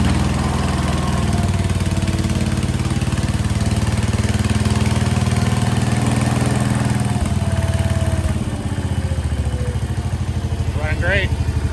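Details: 1968 Case 155 garden tractor, revived, running and charging: smooth, steady low engine drone holding an even speed without misfires or surging; healthy engine.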